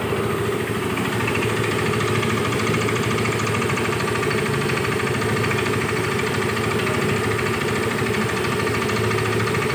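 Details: Yamaha Mio i 125S scooter engine idling with a fast, steady metallic knock under the exhaust beat: crankshaft knock, ahead of an engine overhaul.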